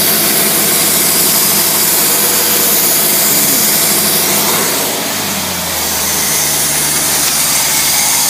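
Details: Carbureted engine, vacuum port capped (zero vacuum for brake booster): steady, even idle with constant hiss and a brief dip around five seconds, then settles; normal.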